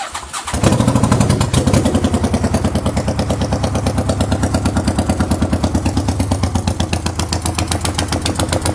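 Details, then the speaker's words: 1985 Honda VT500 first start after an engine rebuild, with the mufflers not installed so it is loud. It cranks, catches and lopes unevenly, running rough; the owner suspects it needs starter fluid and the carbs and throttle tuned. "you guys will see it's giving the rough time because I think I need to thread some starter fluid in it"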